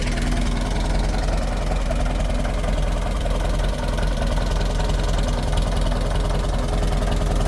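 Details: Fully restored 1958 Farmall 450 tractor after engine tune-up: low, steady four-cylinder putter at idle with even firing, no knocks or misses; running perfectly, normal idle.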